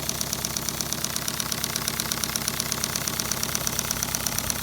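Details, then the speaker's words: LBSC Tich 3.5-inch gauge model steam locomotive run on compressed air at about 25 psi after small repairs: light quick even chuffing about three beats a second, like a little sewing machine, no knocks; running smoothly. "no real pronounced exhaust note on this thing but it is I mean I'm just sounds like a little sewing machine to me which makes me very happy"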